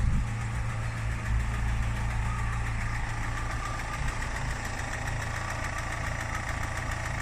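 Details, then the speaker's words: Skoda Fabia MPI 8v petrol, high fuel use, idling: rough low idle with a loose, roughly spaced tapping about four a second from the top end; owner calls it a really bad tap, engine not healthy. "so yeah that's it that's it running now this one's got a really bad tap as well"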